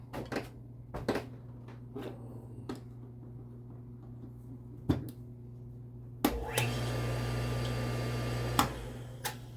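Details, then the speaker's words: Red Lion shallow well sprinkler pump rebuilt from two units: after clicks, steady even hum; normal running, seal may still need replacing. "Sounds like it. Of course, you don't want to run that dry. You'll burn stuff up."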